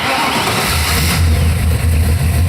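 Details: Stock-car project chassis with a V8 that had not run in over 4 years, first fire-up before the body swap: catches and settles into a deep, even rumble with quick throttle blips, no misses or knocks; runs fine.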